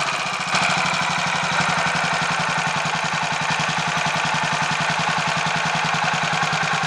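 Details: Royal Enfield 500 Machismo electric-start single, warm, after fix of starter noise caused by a small oil-holed spindle fitted the wrong way round, 20W-50 oil in sprag area: steady even thump at idle, no rattle or clatter on top; normal idle.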